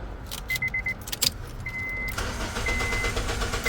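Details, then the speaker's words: 2007 Honda Civic (8th gen) after replacing the ignition switch: key chime, short crank, then it catches and settles into a steady idle with no buzzing from the start cut relay; the no-start problem is cured. "it goes ladies and gentlemen you saw it here no more no more sounds from that relay [Music] seems we have cured the problem with the ignition switch"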